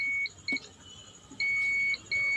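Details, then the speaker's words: Multimeter continuity beep in four uneven bursts across AVDD capacitors on a ST3151A09-2-XC-1 TV panel with blank display, backlight and sound OK; capacitors shorted, continuity on both sides. "वे दोनों capacitor short circuit हो गए हैं क्योंकि दोनों तरफ continuity आ रही है।"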